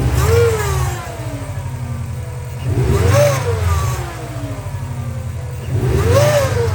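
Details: Subaru Impreza WRX NB (TA-GDA, June 2003, 148,345 km), EJ205, 5MT: three rev blips, each bringing a whistling howl that rises and falls with engine speed; failed turbo with a shredded compressor wheel, axial shaft play, and coolant and oil on the exhaust side.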